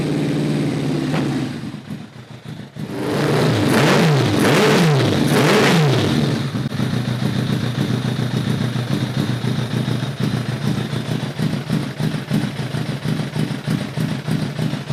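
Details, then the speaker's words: Kawasaki ZRX-1200 with reworked Keihin CVK carbs refitted, no enricher: the four-cylinder blips, then settles to a lumpy, stumbling idle with weak intake impulse, as if there were no slow circuit; cause not found. "This thing should be running a hell of a lot better than it is. I just don't get it. It's like it's got no slow circuit whatsoever."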